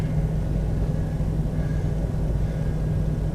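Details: 1992 Chevy Astro van after blower motor replacement: low even rumble from the new blower on its lowest setting, no ticking, squeal or wobble; motor running smoothly, normal operation.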